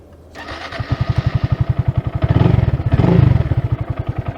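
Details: 2022 Honda Grom at 2,500 miles, just after oil and air filter change: small single catches after a brief crank and settles into a steady, even thumping idle with no ticks or knocks; running healthy.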